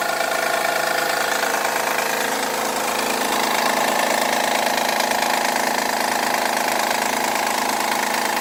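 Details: 2011 Honda Accord cold idle: constant loud ticking clatter over high-pitched hiss, as if out of oil though it isn't; lasts 5-10 minutes until warm, returns after sitting an hour; loud cold-start engine noise.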